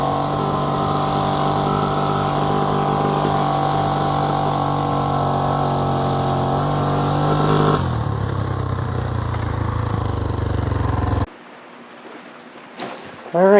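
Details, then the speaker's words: 1979 Honda XL500 single, running: light, rapid ticking over the exhaust that follows engine speed, grew from quiet to tappy over two commuting rides; worn rocker arms and cam lobes in the top end. "so the top end on my 79 xl500 is started tapping uh pretty badly"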